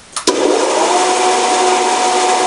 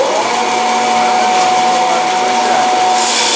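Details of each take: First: Wallace 16-inch band saw, about 1929, with its original direct-mounted GE motor (about 1/2 hp, single-phase 110 V, believed repulsion-start induction-run) and oil-filled gear drive: a steady, fairly loud whirring hum; the noise is suspected to come from the blade guides. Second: 1929 Wallace 16-inch band saw, single-phase 110 V repulsion-start induction motor, 1800 rpm motor with oil-filled reduction gearbox, new tyres: steady hum, clean rasp cutting 3¼ in stock quickly, speed holding; normal smooth cut.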